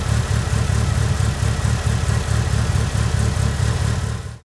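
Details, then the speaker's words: Mitsubishi Evo that was hard to start with rough idle, after cleaning injectors and freeing stuck number 3: now starts better and idles steady and smooth, low even beat about four pulses a second, no stumble or misfire, despite old fuel. "The car now starts better and it idles smoothly even though the fuel is old."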